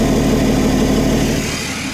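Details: BMW 525d E39 M57 diesel after freeing seized turbo geometry lever for low boost: smooth even idle, steady beat, no hunting; turbo charging strongly, pipe already hot while intercooler cools the other, unlike before.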